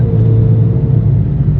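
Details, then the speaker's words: Hyundai Genesis Coupe 3.5 L V6 after muffler replacement on a hacked exhaust that was super loud: deep, even low rumble while driving, no rasp, rattle or drone; now a nice, muffled tone. "I know y'all didn't hear it before but this thing was super [Music] loud it's got a nice little tone to it now"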